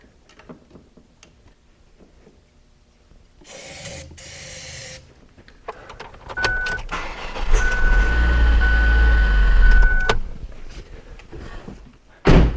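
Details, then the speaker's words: 2002 Ford Focus cranking no-start. It cranks without catching, then fires and runs rough for a couple of seconds on starter fluid sprayed down the throttle body before dying. This confirms no fuel is reaching the engine. "all right well there you have it if I wasn't filming in probably 2 minutes I would have had a diagnosis that there is no fuel getting to this engine"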